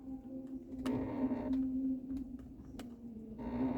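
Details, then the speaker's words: Hyundai Creta, shop says it needs lubrication and cleaning: faint whirring hum with scattered clicks and ticks as the air conditioning duct flap moves automatically when the car is switched off; noisy flap actuator. "é esse esse barulho faz justamente quando o carro eu desligo o carro aí automaticamente o duto dentro ele se move aí é justamente onde tá fazendo barulho"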